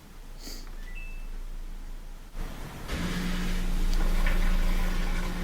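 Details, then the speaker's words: Samsung washer that would not drain, after drain pump replacement (old pump full of sand), running a spin cycle: a short chime, then a steady low pump hum with water rushing out fast; drain pump running smoothly and strongly. "it sounds good, and when I peer in there I can see the water leaving the machine pretty fast."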